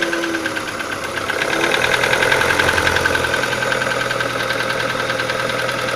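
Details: Audi 80 B3 1.8 engine at steady idle with a fast, fairly even ticking knock, about three to four a second; source of the knock unclear.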